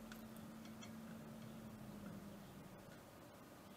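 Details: Water cooling pump, microphone pointed at the pump at the earlier distance, speed turned down from 100%: quiet even hum with faint light ticking softening as speed drops, no grinding or rattle; normal pump operation.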